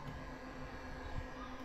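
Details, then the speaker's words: Stock cooling fans on a roughly $300 amplifier give a quiet, steady electronic buzz over soft fan air, with no change in pitch; noisy fans, to be swapped for quieter replacements. "and they've got that like electronic Buzz to them"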